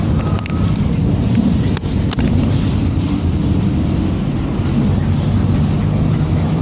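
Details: 2007 Torino MBB OF-1722M city bus under way: a steady low drone and growl holding over road noise, attributed to a roaring rear differential.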